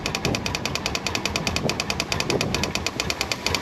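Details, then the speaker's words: 1998 Honda PC800 after fuel pump replacement: steady rapid ticking, about ten beats a second, as the new pump primes fuel while the engine cranks; pump working normally. "pumping that fuel trying to get that fuel up there but it's working"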